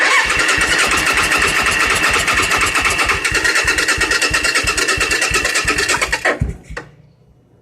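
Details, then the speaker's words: 1986 Suzuki Intruder, clutch switch bypassed, a little throttle: even cranking about three beats a second with occasional pops, then dies; fires but won't catch; cylinders compressing and sparking, battery suspected too weak. "we got some poppage it indicates that the cylinders are compressing and that the sparkling valves are sparkling"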